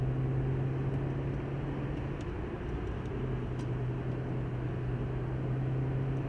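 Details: 2015 Hyundai i20 road test at speed after new brake pads and discs on both sides: steady, even road hum with no pulsing or shudder. The vibration above 120 km/h and the wheel bearing noise are gone.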